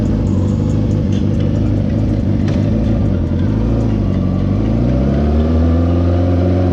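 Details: Motorcycle engine at low revs, pitch dipping then climbing, with a rough puffing chuff on the exhaust beat from an exhaust leak.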